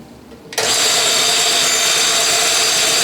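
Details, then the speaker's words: Restored Mead band sander: starts and settles into a steady, even whine with no rattle or vibration. "there's no rattle at all from here you see there aren't any rattles I don't see any vibration either which kind of surprised me"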